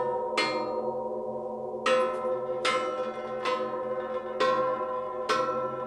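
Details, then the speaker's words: Case 770 tillage disc blades struck during repair and inspection: each hit gives a clear, long, bell-like ring that dies away slowly, no dull thunk, showing the blade is tight and in place. "hear that vibration that ringing that's what we're looking for that tells us that this blade is tight and in place"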